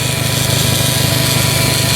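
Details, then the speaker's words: Electric fuel pump heard from beneath the raised Volvo work truck at key-on: a steady, fast buzzing drone, normal operation. The truck also has an exhaust leak, an oil leak and a fuel leak. "That's what I was referring to, that you should be able to hear. When you key that key on, you can hear this pump run."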